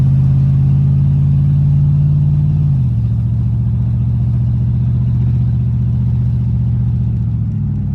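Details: 1983 Capri V8 with factory cast exhaust manifolds, after welding shut leaks: deep even rumble stepping down in pitch, no ticking or puffing from the exhaust.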